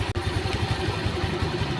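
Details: Honda Vario scooter that lost radiator coolant, overheated and lit the warning lamp; the thermostat was found not to be at fault. After reassembly and refill it idles smoothly and evenly, no knocks, with coolant circulating.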